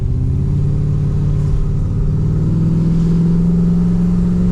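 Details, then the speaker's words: Holden VX SS Commodore V8 with fully rebuilt engine, big cam, new exhaust, first test drive under load, exhaust note matching where the cam cuts in: deep even drone climbing steadily in pitch, no knocks or misses; normal running under load. "under load heaps a load oh that's driving so good oh man that was perfect and that story is spot on for that cam back there that is spot on man that story hits that right at where the cam is cutting in that is fantastic"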